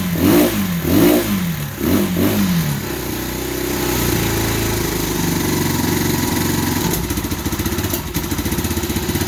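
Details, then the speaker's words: 2015 Bashan Storm 250 single-cylinder with some gas: revs surge and sag unevenly then a shaky stumbling idle, keeps cutting out; owner suspects a bad corroded spark plug, possibly wiring; unconfirmed. "so i believe the spark plug is just really bad that's why it keeps kicking out like that"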